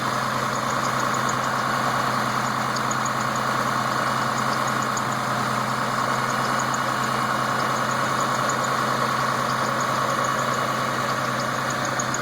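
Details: Newly built engine with all-new parts at idle: quick high-pitched chirps in small bursts from the inner belt; owner unsure whether bad tensioner bearing or bad belt.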